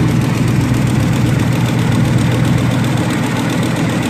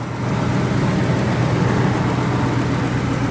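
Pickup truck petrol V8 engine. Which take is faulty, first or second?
first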